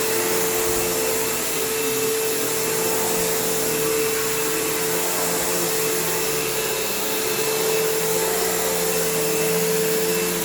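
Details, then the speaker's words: Kenmore PowerPath System vacuum on living-room carpet, just acquired: steady roar with a fixed whine and a slightly uneven, rough undertone. The motor doesn't sound the healthiest and the owner plans to take it down, but it's not bad and needs a service and tune-up. "Although I do think I will need to take this down to the motor because it doesn't sound the healthiest, but it's not bad."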